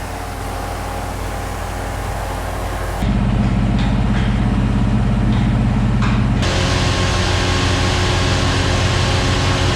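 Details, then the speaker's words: Fox Body Mustang V8 with a Holley 4-barrel carburetor, just started and running on the choke after the carburetor idle air-fuel mixture was richened to cure a rough idle: steady, even low burble with no misses or knocks; normal idle. "There it is, running on the choke. Joe, we're gonna leave it running."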